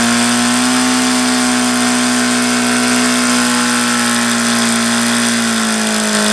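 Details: HP VT 21 rotary-valve four-stroke engine, bought used, primed with throttle closed, before plug change: loud high-pitched buzz at fast steady speed, never dropping below about 4500 rpm; leaning low-speed needle changes nothing.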